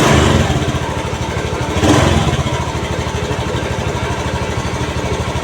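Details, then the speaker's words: Honda Beat FI automatic scooter that wouldn't start on smooth starter (no check-engine blink, battery normal), after repairing nearly broken wire at side-stand switch socket: catches, revs briefly, settles into steady even putter, no misfires; runs normally. "dan benar saja motor jadi hidup kembali masalahnya cuma sepelek cuma karena belum pengalaman jadi tetap saja musmet"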